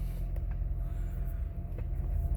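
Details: 2006 Honda Accord 3.0 V6 that failed inspection with cylinder 5 and 6 misfires and earlier hunting rpm. After the fix, a steady low rumble with an even, unbroken beat and no stumbles. Normal smooth idle.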